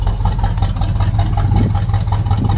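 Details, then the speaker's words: Squarebody plow truck V8 restarted after sitting for years, old oil, about 25 psi oil pressure and dropping: deep, steady rumble with even pulses and no knocks or ticks, a smooth quiet idle. A slight tick may be starting; an oil change is planned. "But now it's quiet. Super smooth, quiet engine."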